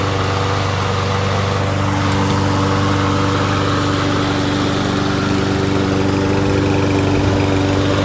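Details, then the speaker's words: Troy-Bilt TB200 mower with Briggs plastic carburetor, jets widened, stale gas replaced with fresh: steady even single-cylinder putter at constant speed after about 15 minutes, no misses or surging; fixed. "so so i just washed it off let it run for about 15 minutes runs good no real issues he'll be happy"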